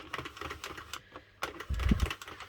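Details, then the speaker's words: Addi/Sentro circle knitting machine after tension corrected, turning the full way round; light even clicking with no catching or grinding: normal smooth cranking. "But now it's all together. Tension is sorted out."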